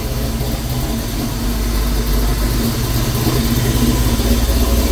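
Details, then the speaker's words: V8 truck, first start in 2 months after rebuild with COMP Thumpr cam, valve springs and Moroso high-volume oil pump, warming up: idling at 800 rpm, deep steady rumble with constant fan roar on top, even, no misses or knocks. "go idle at 800 through perfect he learning right now"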